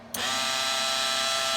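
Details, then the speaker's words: Sealy SuperMig 150 welder tested after repairing the feed motor control PCB (shorted bridge rectifier replaced with four discrete 1 A 200 V diodes). Trigger pulled, wire feed motor kicks in instantly and holds a steady, even high-pitched hum at full speed. Owner unsure motor polarity was restored correctly. "so we'll put the trigger on you can hear the motor so there we go now the motor's at full speed at the moment to stay on"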